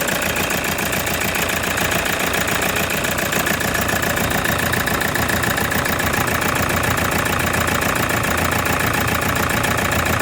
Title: TOYOTA HI ACE FIXING ENGINE VIBRATION AND ENGINE KNOCKING